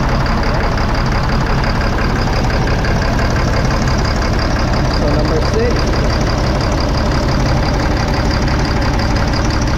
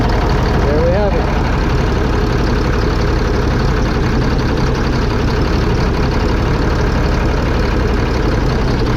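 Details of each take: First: 2005 Fleetwood Discovery motorhome, Freightliner chassis, Caterpillar C7 diesel with low power, can't exceed 60–65 mph: lumpy, uneven idle with irregular stumble; cylinders 5 and 6 misfiring, no rpm change when unplugged, bad injectors. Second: 2005 Fleetwood Discovery motorhome, Freightliner chassis, Caterpillar C7 diesel, after replacing bad injectors on cylinders 5 and 6: steady, even idle with regular beat, no misfire or knock; all six cylinders working.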